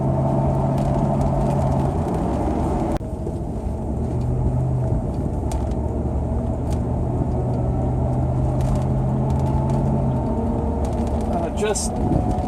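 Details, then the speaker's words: 1996 Range Rover, 4.0 L petrol, 4HP24 four-speed automatic: low even whine over road rumble starting about 40 km/h, constant at 40–50 km/h under load, not coasting; driveline suspected, likely differential, not confirmed. "noise just starts to come in at about 40 kilometers an hour so if I just try and maintain 40 50 kilometers an hour sort of under load not coasting the noise is there all the time"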